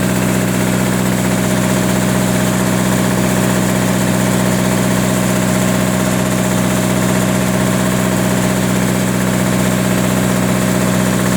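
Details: Onan 30 kW diesel generator with a 4-cylinder Ford diesel, run after the injector pump was bled of air: steady, heavy low drone at idle with a slight labouring pulse and a hiccup; the owner thinks it sounds like it is lugging but is unsure.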